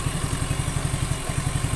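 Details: Suzuki Nex II scooter, after replacing the left camshaft bearing that caused a rough noise: even, steady, regular putter with no ticking or clatter; healthy normal idle.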